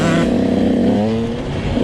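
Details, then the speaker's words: Husqvarna TC 85 two-stroke running very rich, main jet changed from 145 to 140 (worse), wet black plug: muddy gurgling note swelling and sagging at low-to-mid throttle; rich jetting, bog off-idle. "I changed my main jet to a 140 and trying to see if there's a difference here it still needs some work it's the Idol Jen it's got real gurgle and five low-to-mid throttle hear that"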